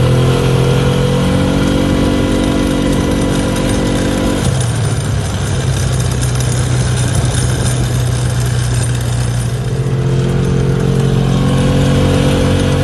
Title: 2011 Polaris ranger crew rattle at high speed. What is making this sound?